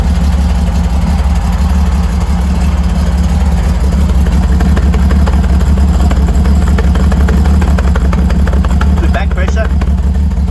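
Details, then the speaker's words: Freshly rebuilt Holden grey motor on first start-up with a temporary exhaust exiting straight out of the muffler, no tailpipe yet, revving lightly: deep, even note holding steady with no knocks or misses; normal revving, sounds good. "so I just did that there to get it running so um sounds good hey sounds good"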